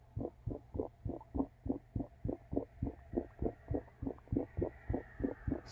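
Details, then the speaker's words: Recorded on the roof at the dryer vent, which is the wrong type: muffled, rhythmic gurgling thumps of about three a second from dryer exhaust through standing water in the vent, pushing moisture back so the dryer doesn't fully dry. "hopefully you can hear the gurgling and the muffled sound of the dryer"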